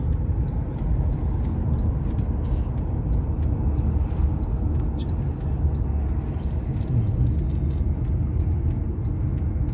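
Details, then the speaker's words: Mercedes E350 CDI 4MATIC W212, 270 hp, 340,000 km, after automatic gearbox repair and adaptation removing shift clunks: steady low cabin rumble while driving, smooth upshifts 4-5 or 6-7 with no jolt. "geçişleri çok rahat oldu çimin kolay oluyor bir kendisi yapıyor 4'le 5 ya da 6 ile 7"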